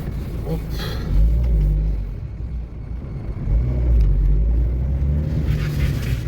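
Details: 2006 Renault Kangoo 1.5 dCi panel van turning at full lock after only the front axle CV joint heads were replaced: steady low diesel rumble with the former clicking gone; CV joints sound healthy.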